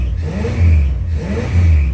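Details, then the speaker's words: 1964 Chrysler Newport V8 after ignition fix and backfeeding the ignition switch, two deep even rev swells now firing on all eight cylinders, where it earlier didn't sound like eight. "What a unit. Sounds like 8 of them now. Yeah, it does."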